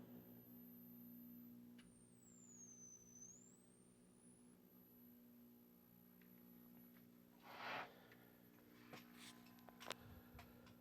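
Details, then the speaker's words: 1957 General Electric 14S208 b&w vacuum tube TV, first power-up on straight AC with lamp bypassed, horizontal hold adjusted: thin high squeal swooping over low mains hum; filter ripple from bad filter capacitors, set barely alive. "here yeah still no oh we've got filter Ripple here so it's barely alive so we have bad filters of course"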